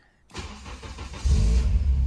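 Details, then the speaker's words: K24-swapped Honda S2000 track car after fixing no-start from loose crank bolt and broken crank trigger plate (trigger timing off); new plate and crank bolt fitted: brief cranking, engine catches within a second, settles to steady idle; clean, healthy start. "Just like that, perfect start. Back alive and ready for the next track day."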